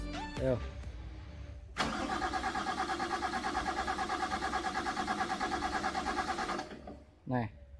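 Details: CAT 320D excavator engine: starter turns it over at about three turns a second for nearly five seconds with no firing, then stops. Long crank, hard start, cranks but will not start.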